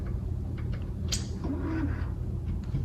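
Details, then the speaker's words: Chirping at power-on from a dirty, long-neglected 1984 Panasonic PV-1530 non-hi-fi stereo Dolby VHS VCR: faint short high chirps over a low steady hum. It gets power and the display lights, but the buttons do nothing, the tape head won't rotate, and the cause is unknown. "when I did plug the unit in listen for this chirping sound it makes"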